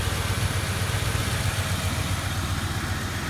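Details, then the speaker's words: 2004 Ford Crown Victoria V8 after exhaust manifold replacement: even steady idle, smooth low rumble, no exhaust-leak ticking; normal idle after repair. "but now it's dead quiet nothing is smooth and you bound the dime off this thing"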